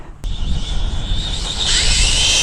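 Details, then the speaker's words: Tamiya MF-01X RC car on a speed run after makeshift crash repairs, about 34 mph: motor rush rises into a harsh grinding whine mid-run as gears slip; stripped drivetrain gear. "oh that didn't sound good did it I think uh I think I shredded a gear"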